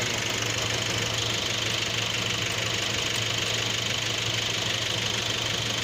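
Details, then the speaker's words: Nissan NP300 pickup, customer hears low ticking at start-up, mic on a probe near the alternator at idle: steady hissy whirr with faint rapid tick; worn alternator clutch pulley bearing, replacement recommended. "So right, these clutch bearing tend to fail, and what they do, your battery light will come on, or is that your battery's not charging like it's supposed to because of this same bearing."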